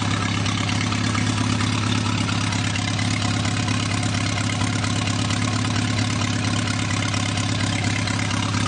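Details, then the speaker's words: Newly rebuilt 2.1L TR4A, first run test, warm, straight pipe with no muffler, pushrod tubes leaking oil slightly: loud raspy but even idle about 1,000 rpm, oil pressure about 55, steady firing, no misses; normal idle. "It doesn't have a muffler on it, as you can tell. It's just a straight pipe"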